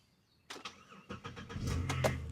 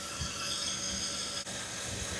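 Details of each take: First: 2009 Chevy Impala with overheating issue, sat a year with battery disconnected: brief crank, fires right up and settles into a low, even idle with no misses, knocks or white smoke; healthy cold start. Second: 2009 Chevy Impala with overheating history, checked before 2500 rpm run: steady high hiss at radiator neck over faint engine rumble as coolant pushes out at the cap; cause not yet known.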